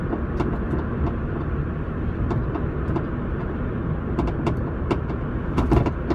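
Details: Mini Cooper S (MCS) with aftermarket coilovers checked tight, odd knocking from the back right while driving; sharp, irregular knocks and clicks over steady road rumble, rear suspension knock, cause unknown.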